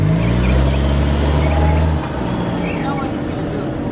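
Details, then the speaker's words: Jetta engine: steady drone, then the note sags lower and rougher, a brief hesitation; a misfire is suspected, oil change and spark plugs suggested. "Yeah, it sounds like you had a little small hesitation. My shit ain't never sound like that."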